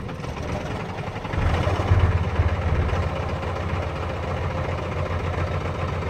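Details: Cummins 12-valve diesel, rebuilt .040 over, timing about 16°, injection pump replaced about 20k ago: deep idle with an uneven, stumbling beat. Misfire and rough idle, worse after a few miles; owner notes it runs smoother with the fuel filter drain valve open.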